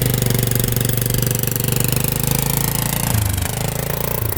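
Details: 2005 Polaris Sportsman 400 4x4 ATV, used for plowing, in 2x4 at full throttle: a ragged, stumbling drone, breaking up as if bouncing off the rev limiter and slow. It picks up speed with gradual throttle; cause unknown.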